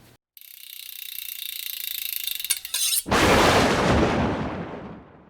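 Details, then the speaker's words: Unshielded Rode VideoMic GO on a Canon M50: rapid even electronic clicking and popping with high hiss from electromagnetic/RF interference pickup; the fix is copper tape shielding. "you probably also discovered like i did that this mic has a serious drawback and that's that it picks up a lot of electromagnetic and radio frequency interference"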